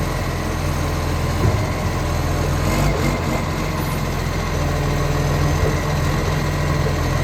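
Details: Ryde Recycling Acco refuse truck SL757, diesel, going into its 11th year of service, on its collection run: heavy diesel idle, steady low drone with a faint puffing chuff on each firing pulse; exhaust leak.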